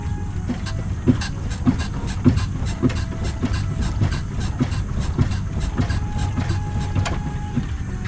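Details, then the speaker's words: Front sway bar bushing squeak on a 2011 Ford Ranger V6: short sharp squeaks repeating about 100 times a minute over low truck rumble as the front end rocks, before treating dry bushings with silicone WD-40. "Now we're going to try to get that squeak to go away using this stuff."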